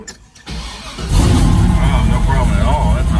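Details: Just after battery cables were made and replaced on the wagon (battery 12.43 V), a brief crank, then the engine catches within a second and settles into a strong, steady run; starts cleanly.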